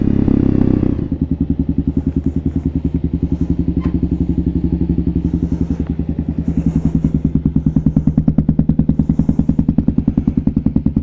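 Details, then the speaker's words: Kawasaki KLR650 single, rebuilt project bike, fully warmed after a ride: even idle with evenly spaced beats, no stumbles or misses; still idling well, new exhaust wrap smoking. "so that's after being completely warmed [Music] up still idling pretty good"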